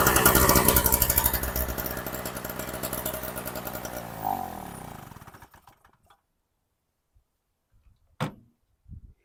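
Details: Storm Cat 700W Harbor Freight generator, 63cc two-stroke on 50:1 mix: fast buzzy firing that slows, sputters and dies after about five seconds. Owner suspects fuel starvation, possibly the carb float.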